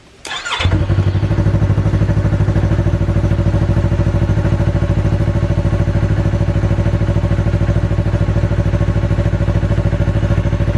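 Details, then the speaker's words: 2019 Yamaha R3 twin, normal start and idle on the stock muffler before the straight-pipe install: quick start, then a steady, even low thrum at idle with no knocks, ticks or misses. "Alright, so here we go. We'll start it. This is with the stock muffler with the Akrapovic or Akrapovic pipe."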